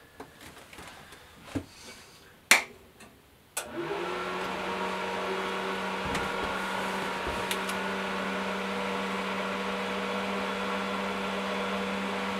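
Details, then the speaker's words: Suburban DD 17DSI furnace in a roughly 22-foot Nomad trailer, test run after motor repair: a few clicks, then the blower spins up to a steady, even hum without the earlier high-low RPM surging; it sounds healthy. "yeah she's working"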